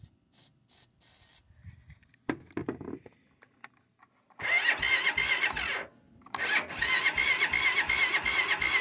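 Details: Cold start attempt: bursts of fast, even cranking with pauses in between, never catching into a running engine; cranks but won't start, cause suspected but not confirmed.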